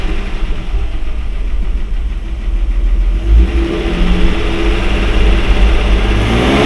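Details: Mercedes W126, carburetted, running on a substitute carburetor fitted to diagnose high idle: even, steady idle around 800 rpm that picks up cleanly on throttle and settles back smoothly; engine healthy, original carburetor suspected.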